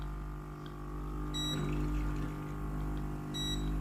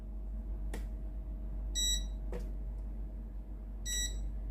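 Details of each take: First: Philips GC7051 steam iron opened, clean key pressed to test pump through the hose to the soleplate: steady low electric pump buzz with two short beeps and no gurgle of water; pump runs but the water hose is 100% clogged, replaced afterward. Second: Philips GC7051 steam iron opened up, running clean/rinse key: a few panel beeps, then a steady even electric buzz as the water pump draws from the tank with no strain or rattle; pump normal, suspect clogged hose or soleplate.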